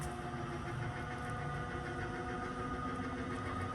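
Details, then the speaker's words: Slide-out running with its track resolved: steady motor drone with thin, sustained squeals as the room slides, while lube is applied during cycling. A squeak from a mechanism not lubricated in a long time. "he track resolved you can hear that squeaking noise now this thing has not been lubed in Forever"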